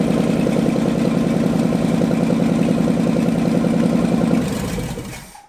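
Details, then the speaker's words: Abandoned Ford F250 V8, restarted after 26 years, fresh starter fitted, still won't run without choke: steady chug about 200 a minute, then sags and dies after four seconds; fuel starvation off choke suspected, not confirmed. Later connected to its own fuel tank. "Still won't run without a choke. Still won't run without a choke."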